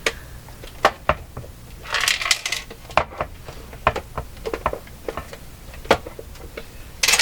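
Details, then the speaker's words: Dropped Lloyds LJ61G-118D clock radio that only hums, shaken during disassembly: irregular sharp clinks and rattles of lots of loose hardware and broken pieces tumbling inside the cabinet. "There's so much stuff rattling around in there. Holy smokes."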